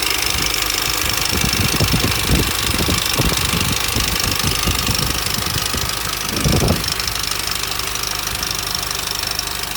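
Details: Mini Cooper S R53 2004 facelift, 109k, idling: uneven metallic clatter and rattle over a hissy whirr, established timing chain rattle; owner suspects chain already jumped and front guide possibly broken.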